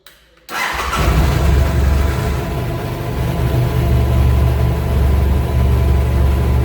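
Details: BMW F800GS with a new Motobolt battery and no parasitic drain measured, started to check charging current, which reads about 0.98 A. Brief crank, a clean catch, then a steady deep idle with an even beat; normal start and idle.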